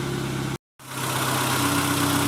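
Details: Renault Twingo with the inertia fuel-pump cut-off switch reset and the warning light cleared; steady even idle, constant low hum, no misses, knocks or hunting apart from a brief dropout; normal idle.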